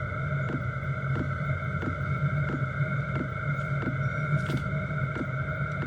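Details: Chinese diesel heater in portable overland build, 5-liter tank, first startup after about two minutes of glow plug routine: crisp fuel pump ticks about every two-thirds of a second over steady fan hum; normal startup combustion.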